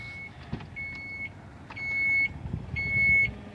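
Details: 2017 Chrysler Pacifica power rear hatch opened by pressing the key fob button twice: four steady high-pitched beeps, about one per second, each half a second long, as the liftgate opens normally.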